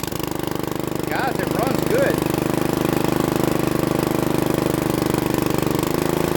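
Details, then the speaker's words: Bolens riding mower, sat for years, running on gas with Marvel and Seafoam; single cylinder chugs steadily at fast idle on choke and dies when the choke is removed; clogged carburetor jet suspected. "all right so when I take the choke off it watch the die so that is telling me I got a jet that's clogged"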